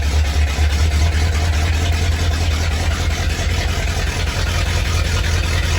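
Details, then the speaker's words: 1987 Ford Bronco XLT with a cammed 351W, Holley four-barrel double-pumper carburetor and straight-piped true duals, first cold start after winter storage: rough, loping idle with stumbles. Misfire that seems to be clearing up. "talk about misfires Eddie did not like hibernating for winter I could tell you that right now Eddie does not like to sit"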